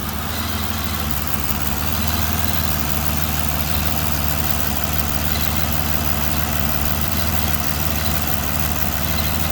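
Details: 2009 Aston Martin DB9 at idle: loud irregular, non-periodic ticking near cylinder 6 head/intake with misfires each tick, stopping above 900-1000 rpm; sparks arcing on RHS inlet manifold, fixed by replacing #6 ignition coil.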